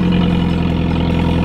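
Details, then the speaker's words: Audi 1.8T at idle after installing R8 red-top coil packs: smooth, steady idle with an even low hum, no stumbles, sounding healthier than before; normal idle. "beautifully sounds maybe a little bit healthier than it used to I'm not gonna say I'm not gonna play the fool osebo effects but it really does sound much better than used to"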